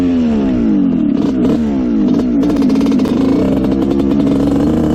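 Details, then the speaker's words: Honda CR125 two-stroke dirt bike (1986/87) after carb work, the pilot jet found to be the problem: crisp revs rise and fall cleanly with no bog or breakup; it now runs almost perfectly. "this thing is running almost perfect now um it doesn't break up at all it's really nice"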